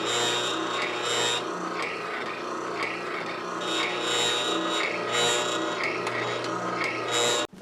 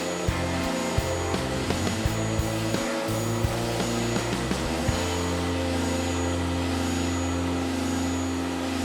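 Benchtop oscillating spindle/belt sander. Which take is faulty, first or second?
first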